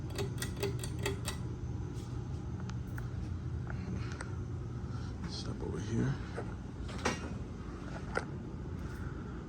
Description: Picked this fan up from the 2023 Fanimation group trip, a big childhood fan design of mine, a little rusted around the edges and the pull chain has turned into a pinkish ￼rust color, other then that the fan runs smoothly.